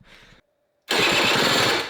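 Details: Honda Vision moped fitted with a race-tuned 125cc engine, carb fed by a vacuum fuel tap and battery weak: a short weak crackle, a pause, then the engine catches loudly and dies. Sputtering start on starved fuel; owner also suspects dodgy ignition.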